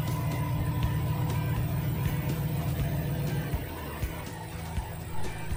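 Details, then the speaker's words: BMW N62 V8 started after replacing PCV/CCV valve diaphragm (old one almost torn), meant to fix rough idle and tailpipe smoke: engine catches and settles into a steady, even low idle with no stumble or misfire. "it should idle better than before and the tailpipe should stop smoking if it did before this"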